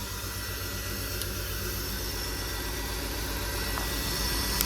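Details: 2003 BMW 325xi just after replacing cylinder 1 fuel injector: slightly uneven, wavering idle around four pulses a second, not yet settled after restart; owner blames airflow sensor acting up, no leaks seen.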